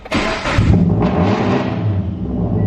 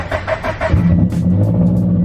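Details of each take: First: Turbocharged Subaru BRZ on a loud cold start: it roars and surges high as if the throttle were held, then settles slowly. Owner suspects it needs a retune; not confirmed. Smoke is seen from the hood vents afterward. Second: Subaru BRZ? Unclear which car; only state: warm start after opened-up exhaust, no tune yet. Brief crank, catches into steady deep idle, no rev flare; normal partially-warm start, unlike cold starts that rev then drop to idle (owner suspects missing tune).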